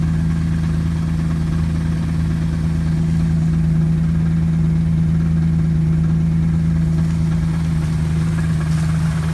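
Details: Cold start of a Camaro V6 automatic parked for a year after the engine began knocking; a steady deep knock about four beats a second at idle, rod knock from the bottom end.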